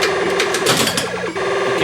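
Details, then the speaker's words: Williams Stellar Wars pinball after overhaul, game started. Quick repeating electronic chirps sweeping up and down, speeding as targets are hit. Normal designed sweeping sound. "That is programmed into the game by Williams. And Williams designed the game to have the sweeping sound as you play it."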